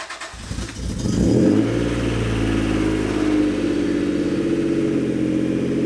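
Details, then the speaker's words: Acura/Honda NA1 NSX, cold start after major-service coolant refill and bleed, cap backed off loose: a few extra cranks, then catches cleanly into a smooth, even idle with no pops, booms or clacks; healthy start. "right, well, not sure if you can hear me, but after a few extra cranks, but no pops, booms, clacks, or cracks, she fired right up."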